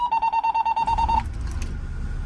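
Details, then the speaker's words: 2001 Monaco diesel pusher motorcoach just started after glow plug wait: quick string of high beeps, about seven a second, over the diesel rumble, warning that air brake pressure is below 90 psi; do not drive until it builds. "Now, did you hear that little beeping? Okay, that little beeping is when there's not enough air pressure."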